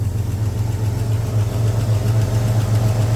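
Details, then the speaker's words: Jeep Grand Cherokee 4.0 petrol inline-six at idle: loud blatty low rumble pulsing about four times a second from an exhaust leak high up, exhaust possibly loose. Engine otherwise seems healthy. "now like I said guys you do hear that exhaust leak um or at least I hope you can it doesn't sound very nice it sounds like I've got the exhaust loose since it is so up High"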